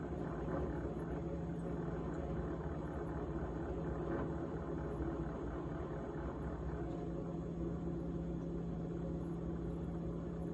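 Even low droning hum with a persistent fluttery buzz that never lets up; the fridge is rattling, though the source is unclear.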